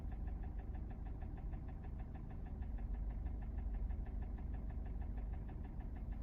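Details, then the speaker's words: Kia Sportage 4G 2017, G4NA engine, 265,500 km, idle at 800 rpm, not yet at operating temperature: a light ringing tick of about three a second, seemingly from the right side. Owner suspects cam phasers or valves, too ringing for cylinders. Unconfirmed. "Стук исходит как будто вот с правой стороны, вот по направлению, вот как оттуда все равно. Такое ощущение, что фазовращатели стучат или клапана. Слишком звонкий звук для цилиндров."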